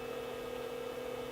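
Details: Sage 930A telecommunications test set under repair, heard through the butt set on speaker while testing lockout on tone: faint steady mid-pitch hum under soft hiss, a tiny bit of crosstalk, cause unknown.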